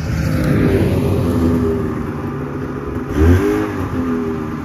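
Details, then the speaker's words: 1978 Polaris Cobra 440 two-stroke snowmobile, revived and smoking: crisp revs climb and drop cleanly, with a quick blip near the end and no misfire or stumble; runs good, with no chain case leaks. "oh well got her running smoking machine here runs good sounds good"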